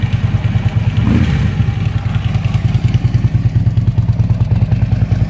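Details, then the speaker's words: 2010 Harley-Davidson Ultra Limited V-twin idling after replacing the primary shaft bearing, with compensator and lifters also done: deep, even loping thump, earlier rattle gone, slight remaining chatter from the front motor mount, to be replaced next. "mystery uh rattle finally solved primary bearing now we still have a little bit of chatter but it's nothing too too serious it's a it's a front motor mount"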